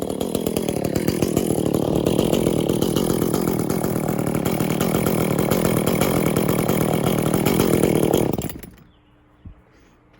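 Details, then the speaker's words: Echo CS400 chainsaw after OEM oil pump replacement, untuned: steady high-rev scream then drops off and stops, sounding flat and bogged; owner says it needs tuning, muffler mod and port job. "Needs a tuning, that might help out a little bit. But it definitely needs a muffler mod and a port job."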